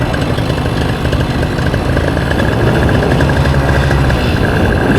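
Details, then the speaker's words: Paramotor two-stroke after carb tuning and new membranes, head seal, spark plug and exhaust gasket: loud buzzy even idle at 3100-3200 rpm, no longer grumbling as at the earlier too-low 2500 rpm. "We're at 3100 3200 idle. That's not bad. Before at like 2500, it was a little too low and I was hearing it grumbling. Now it sounds like it's burning."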